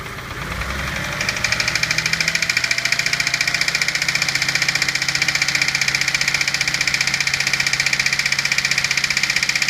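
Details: 1991 Dodge Stealth engine idling with a fast, steady knock ticking over its hum.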